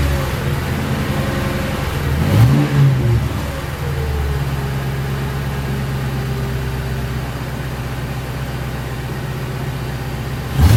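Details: 2006 Crown Victoria P-71 V8 with stock mufflers bored and drilled inside, resonator defeated: a smooth idle with two quick clean blips and a slightly throaty, crisp exhaust note, no rattles or ticks. Modified muffler, subtly louder.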